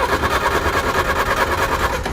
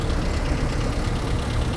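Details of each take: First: 1960 Honda Civic N600 with Willys 4x4 Jeep drivetrain, abandoned, first start attempt out of gear: starter churns the engine in an even, pulsing rhythm for two seconds, never fires; owner suspects ignition switch in wrong position. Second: Long-abandoned 1960 Honda N600 with Jeep 4x4 running gear, first start after purchase: a low, even rumbling idle without standout knocks, running okay; the carburetor is suspected to need cleaning.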